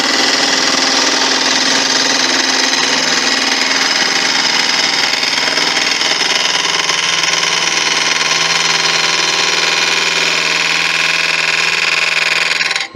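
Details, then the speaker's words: Wood lathe turning Malaysian acacia sapwood napkin rings: a hard, rhythmic rattle over the steady lathe hum each revolution as the gouge hits something; turner first suspected a nail, concludes it's a hard spot in the wood causing tool chatter. "what's that sound that sounds like a nail there is a nail just there I think an alternate hole no idea what that is need to be damaging the tool it must just be a hard piece of wood"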